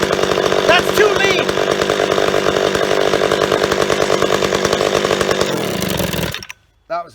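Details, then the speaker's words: Old chainsaw being carb-tuned; the low jet was screwed in and leaned right out, so it screams high and ragged, then sags and dies after about six seconds, starved of fuel. It idled steadily before, suggesting no air leaks. Lean mixture. "so we're lean I can tell cuz I leaned it right out it was on island it just dried itself out"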